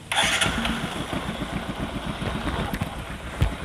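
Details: Bajaj Discover motorcycle single-cylinder engine; catches and settles into an even, regular idle with no rattle or misfire, sounds healthy.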